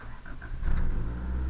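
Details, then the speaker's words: 1986 Honda CRX Si, about 97,300 miles, aftermarket exhaust, engine cold: quiet, then catches at once and settles into a steady low rumble, idling around 2,000 rpm until warm; a clean, healthy cold start. "starts right up so you see the temperature is cold it's uh idles at about 2,000 until she warms up a little bit"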